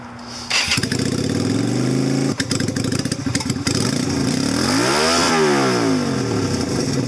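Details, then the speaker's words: 2000 Yamaha Virago XV250 bobber, cold at about 40°F: revs climb then sag slowly and hang before settling to idle, engine dies on throttle; owner suspects the drilled carburetor slide/diaphragm hole, stock versus modified spring tested. "Hear that? It takes forever to get back down to idle."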